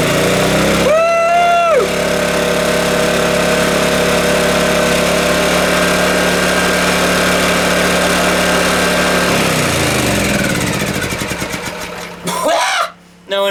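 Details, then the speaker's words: Honda generator engine catches and settles into a steady, even buzzing run for several seconds before shutting down, after swapping in the old spark plug during coil pack testing; running properly now. "Holy moly! It's alive! It's alive!"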